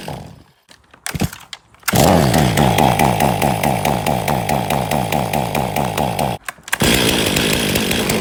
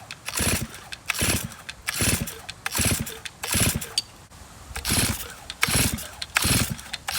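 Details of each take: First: 2023 Stihl MS500i 79cc fuel-injected chainsaw, after a new fuel filter and a new NGK CMR6H plug: it coughs and sputters, then catches and holds a strong steady buzz, revving cleanly under cut. It was flooded and runs normally once that clears. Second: 2023 Stihl MS500i fuel-injected chainsaw brought in with starting and running issues, run while holding the stop switch. It revs up and drops back in repeated bursts about once a second and now sounds better. The cause of the poor starting and running is not yet found.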